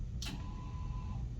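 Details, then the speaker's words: MTI 829/830 medical procedure chair swivel lock motor: a click, then a short steady whir of about one second as it locks or unlocks the chair, normal operation. "tuate the swivel, you simply push the swivel button on either the hand or foot control, and you will hear a motor unlock the chair."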